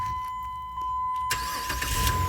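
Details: 2007 Jeep Liberty with key that turned but would not crank, after replacing the broken ignition switch actuator pin: warning chime, quick crank, engine catches cleanly into a smooth idle; fixed, healthy start.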